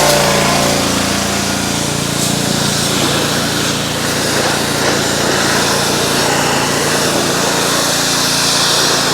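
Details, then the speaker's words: Ryobi RY80940B 3100 psi pressure washer, Honda GCV190 engine, made 2018, trash-picked, after repair and warm-up: steady even buzzing drone at constant speed, no misses or knocks; runs smoothly, no water leaks. "seems to work just fine pretty cool I don't see any water leaks either it's all dry"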